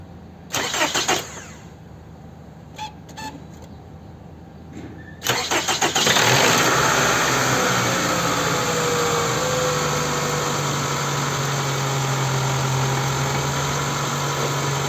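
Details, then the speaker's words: Toyota Camry XV30 2.4 2AZ-FE, morning cold start: cranks, fires and settles into a busy cold idle with a faint rattle. The noise is absent when warm; owner complains of a knock only when cold. Cause not confirmed. "Ну давайте вместе с вами утреннюю диагностику послушаем двигатель Что за стук или шум или тарахтение в этом двигателе"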